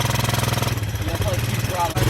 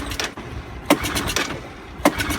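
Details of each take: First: 1984 Honda ATC200ES Big Red trike, sat for years, first run after spark finally came good: single cylinder fires in a steady, even thump, about eleven beats a second, running on its own with no misfires. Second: 1984 Honda ATC200ES Big Red trike, sat for years, first start attempt, no choke: three sharp pulls, engine barely coughs and never catches; air box found full of gas, flooded, suspected sticking float.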